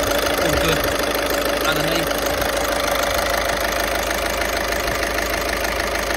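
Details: 2012 Audi A1 diesel after bleeding fuel system during service: even diesel clatter at steady idle, about three ticks a second, no misses or hunting; idling normally.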